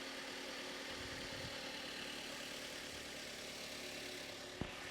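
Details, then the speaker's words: Copart-bought Mazda MX5 NC just after first start: quiet, even idle with smooth steady hum, no ticks, knocks, misses or smoke; healthy. "this sounds way less agricultural than the the last one no smoke let's give it a bit of"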